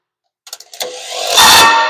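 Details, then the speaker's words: Ford 460 V8 sitting about 30–40 years, starter jumped directly: a few sharp solenoid clicks then a labored whining churn that never gains speed; starter sounds too weak to turn the engine. "As as wimpy as that starter sounded when we were turning it. He won't even turn over an old wore out 460."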